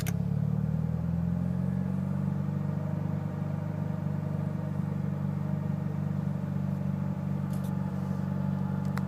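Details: Mitsubishi Evo VIII with cams and a tune, MAF and intake clean and serviced regularly: deep, lumpy idle with an uneven chug that never settles; the cause of the rough idle is unknown.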